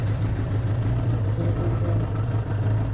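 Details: 1994 Suzuki RF900 with replacement engine after the original blew, first start, already warmed up a little: even, steady low burble at idle with no knocks or misses; healthy idle. Shifter shaft stripped, started in gear.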